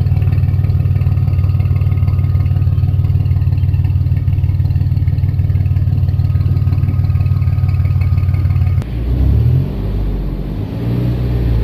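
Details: 1994 GMC Jimmy 4x4, 4.3 V6 CPI, 191,000 miles, restarted after a long drive with no oil or coolant use: steady low idle with an even pulse of about three beats a second, no knocking or misfire; healthy engine.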